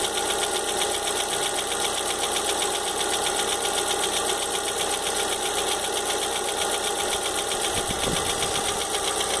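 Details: Fox idling with engine noise the owner can't identify. A steady light ticking knock of about four per second rides on top. Knocking noise, source not pinned down.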